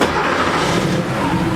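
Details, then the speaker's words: Porsche 3.2 Carrera at idle, running lumpy and lobey with a recurring skip; idle about 200 rpm high; a cylinder suspected out, being checked by disconnecting each fuel injector looking for a drop. "so that just sounds a little lobey a little like it's missing so what i was doing was going around and disconnecting each of the fuel injectors looking for a drop to see if i can find one cylinder that wasn't happy"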